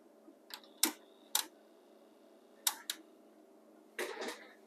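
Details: Pioneer CT-W801R dual cassette deck that won't play: faint motor hum, then a few sharp clunks as the mechanism tries to engage, reverses and drops back to stop; tapes never turn, and belts are suspected.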